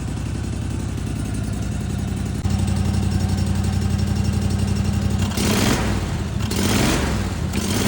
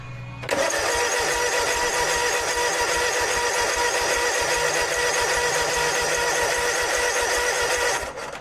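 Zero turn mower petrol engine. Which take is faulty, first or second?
second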